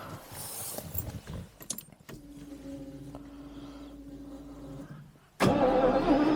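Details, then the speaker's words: 1985 Jaguar XJS V12, first start attempt after 30 years abandoned, transmission fluid and oil checked: slow starter whine, then rough, uneven stumbling catch on only a couple of cylinders; owner suspects a dead injector. "it's wanting to on a couple cylinders we'll do this a couple times if it doesn't work we'll have to do my little injector trick"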